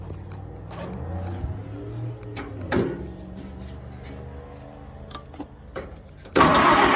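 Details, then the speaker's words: 1947 Case VAH loader tractor bought for $300, unknown how long since it last ran, started using the choke. After uneven cranking it settles into a low, fairly steady beat; it runs pretty well. "Sounds pretty good. Not bad for 300 bucks."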